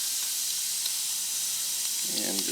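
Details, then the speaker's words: Tubeless tractor tire with a nail hole, being reamed to prepare for a plug: a steady, thin, airy hiss with no rhythm as air escapes a little more firmly. Tire puncture air leak. "so we hear the air start coming out a little bit firmer"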